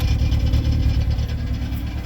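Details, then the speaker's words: Saturn hard to start, idling lumpy and uneven, sputtering with missing beats; misfiring on one or more cylinders, owner suspects fuel injector or coil pack. "so it won't start first time hear it here sputtering listen like while the cylinders ain't firing"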